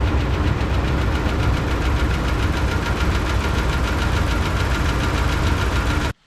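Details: 2012 Dodge Ram 2500 5.7 Hemi with camshaft failure, before long block replacement: fast steady ticking over idle tied to engine speed, consistent with a wiped cam lobe.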